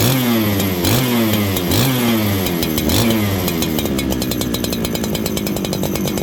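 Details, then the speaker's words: Farmertec 288 kit chainsaw right after its oil pump was repaired: revs up and sags unevenly, burbling and blubbery, and hunts instead of idling. Carburetor set far too rich; the low jet is to be turned in to lean it. "I gotta tune this thing it's uh it's really unhappy it's it's very rich right now it doesn't want to idle"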